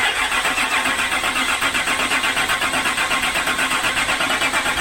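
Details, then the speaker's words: 2006 Land Rover Discovery 3 TDV6 2.7L diesel after a full engine rebuild: steady cranking at about four compressions a second, but it never catches. No fault is shown; owners suspect insufficient fuel. "oh come on it's not getting enough fuel the engine doesn't have a fault that's quite concerning no it's not starting"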